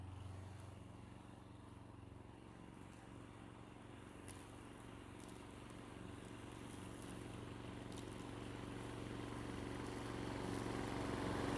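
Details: 1990s Toro GTS 2 550 three-speed rear-drive mower, 5 hp Briggs & Stratton 124702, after carburetor repair, cutting grass: steady, even chug that firms up under load, running cleanly without stumbles.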